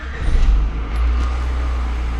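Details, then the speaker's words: 1994 Honda Accord with intermittent no-start, distributor and plugs/wires already replaced, after unplugging the ECU connectors and reconnecting to reset it: deep steady rumble without stumbling or surging; now starts every time, fix possibly temporary. "and from doing that you can tell it did fix the problem at least temporarily until you get another computer because now it pretty much starts every time every time I start"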